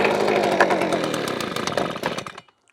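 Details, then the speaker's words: Titan two-stroke leaf blower after bypassing faulty safety micro switches to a simple on/off switch: choked, primed, pulled, fires and buzzes at a high raspy pitch for a couple of seconds, then switches off cleanly; normal start. "So there we go. So choke it, prime it, turn it on, pull it."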